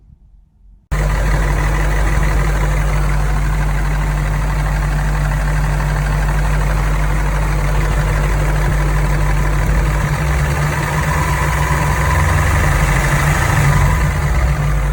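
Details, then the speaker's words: Toyota 1UZ VVT-i V8 idling, owner-recorded: steady idle with busy tractor-like clatter riding over it, sounding really bad; cam scissor gears not set right, cam scissor gear clatter. "Upon hearing that video, I did hope the man turned it off because it sounded like a tractor, and they shouldn't sound like a tractor."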